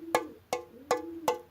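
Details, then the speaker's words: Two-stroke expansion-chamber exhaust in poor condition, tapped with a fingernail. Five taps about a third of a second apart give a short, flat knock with little ring, as if dirt were inside: the pipe is full of carbon. "entend ça ça tindi mais un peu mais ça c'est parce qu'il est plein de calamine"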